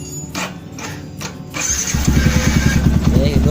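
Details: Yamaha Old Vixion motorcycle that had died and would not start, running after the fault was traced to the engine stop switch section; short crank, catches at once and settles into a steady, even idle with no misfire.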